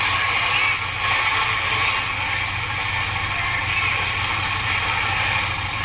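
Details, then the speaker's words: 1946-48 Sparton 6-26 broadcast/shortwave tube radio, first power-up after replacing components and all tubes: hissy, crackling, weak fading broadcast, with interference from a fan and halogen lamps; reception needs alignment. "yeah it's definitely alignment got some interference from our fan that's on and our H hallogen lamps in here"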